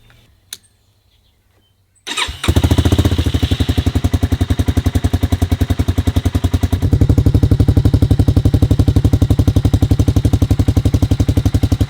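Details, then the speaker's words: 1985 Honda Big Red 250ES barn-find ATV with a new header and custom stainless muffler replacing the rotted factory one: fires after a second of cranking then settles into a steady, even thump at about four beats per second; healthy idle, close to factory sound. "so needless to say i am really happy with the way that this sounds the header turned out great as well and it definitely sounds close to factory"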